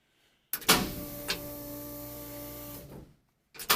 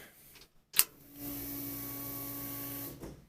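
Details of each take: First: 1965 Chevy C-10 with LS swap, drive-by-wire, fuel pump heard priming: two cranking bursts, starter spins steadily but engine only tries to fire and never catches; crank no start, cause not confirmed. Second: LS-swapped 1965 Chevy C-10 at key-on before cranking: a click, then a steady electric hum for about two seconds that stops on its own, normal fuel pump priming.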